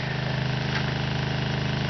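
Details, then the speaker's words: RV 12-volt water pump running after new PEX plumbing was installed: even, fast pulsing hum with a steady beat and no stumbles while it builds line pressure, kitchen sink gurgling as water flows through. "I hear the kitchen sink gurgling. And there's water running."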